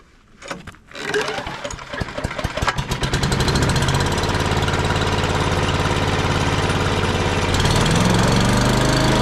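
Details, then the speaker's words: Free old wood chipper's small engine after a new kit and spark plug gapped at 30: a few cranking pulls, then it catches and settles into a steady, even run with no misses; sounds healthy. "right on well it runs sounds pretty good"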